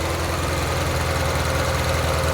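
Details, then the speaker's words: 1994 Euro-spec Ferrari F355 idling with spark tester on cylinder 4, plug wire off: uneven lumpy idle with a hollow stumble; strong spark, but pulling the wire barely changes running, so cylinder 4 is not firing. "Also note, with that spark plug wire off, there's almost no difference in the way it's running. So, obviously, when I have the spark plug wire off the engine, I'm deliberately causing a misfire. Cylinder 4 is not firing."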